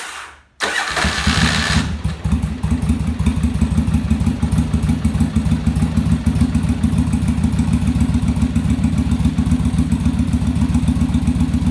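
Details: Yamaha Virago V-twin during on-engine carb sync, after raising idle screw and adjusting rear carb idle stop; cranks, fires and settles into steady even idle about three and a half pulses a second; carbs now balanced.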